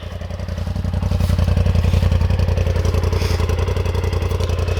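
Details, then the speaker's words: 2021 Polaris RZR XP 1000 Turbo UTV after two years of ownership, started and revved: even, crisp exhaust pulses, about three to four a second, building smoothly with no knocks; normal, healthy idle and rev. "sounds pretty cool. I'm not gonna lie."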